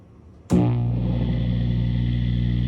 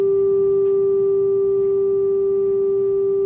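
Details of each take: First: 1967 Fender Deluxe Reverb tube guitar amp, untouched inside, 56 years old (doesn't blow fuses): a loud, steady low-frequency 60-cycle mains hum buzzes as soon as it is switched on, before repair. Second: 1967 Fender Deluxe Reverb tube amp, original and just repaired, playing a test tone of about 400 Hz to 1 kHz: clean, steady single tone with no hum, crackle or distortion; amp passing signal normally.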